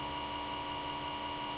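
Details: Comcast Xfinity X1 DVR cable box during boot-up: the small left-side cooling fan hums loudly at high speed nonstop, even with the box off, until it is unplugged; a steady drill-like whine that never changes pitch.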